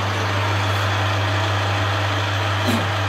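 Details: BV20 lathe with replacement half-HP single-capacitor motor, switched to reverse rotation; loud steady hum with strong even low drone, no knocks or rubbing, motor runs smoothly, normal running.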